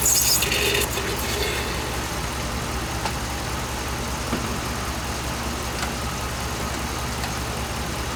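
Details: 2007 Dodge Ram 5.7 HEMI V8 idling while warming up after a water pump replacement; 140°F at the thermostat, coolant still purging air, no leaks. Steady, even, smooth low rumble with no knocks or squeals. Normal idle.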